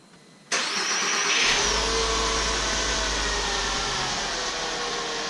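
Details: MK5 VW Jetta 2.5L manual after replacing starter that failed from a vacuum pump oil leak: brief crank, then catches cleanly into a steady, even idle; normal crank and start.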